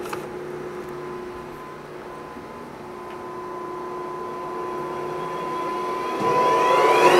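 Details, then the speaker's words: Lion 23MT lathe headstock after break-in oil change at 35 days, oil flow confirmed, run at about 1000 rpm; steady even gear hum with constant mid tone, no knocks or grinding; running normally, brake good. "that sounds good and the braking is pretty good i don't need to adjust the brake"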